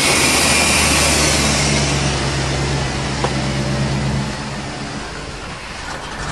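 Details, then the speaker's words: 1990 Chevy truck with 350 V8, diesel mistakenly put in the petrol tank, after fuel line work: engine labours with a dull, uneven drone that sags and recovers while smoking like a diesel as it purges the contaminated fuel. "her running she's smoking like a diesel yeah don't shut her off keep it running"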